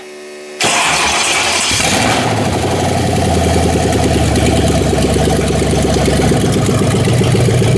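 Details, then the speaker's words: First start of a 5.9 Magnum 360 fuel-injected V8 swapped into a lawnmower on a custom stand-alone harness: fuel pump primes, brief crank, then settles into a steady, even idle with smooth rumble. Normal start and idle. "There's fuel pump, as you can hear. And then if we hit this, we should be running."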